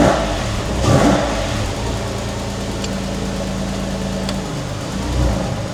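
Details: Porsche 911 (996) Tiptronic flat-six, towed in dead with a no-start, now fixed and run on the ramp: engine catches and runs steadily, swelling briefly with throttle and settling back evenly, some smoke probably from raw fuel after long cranking; running normally.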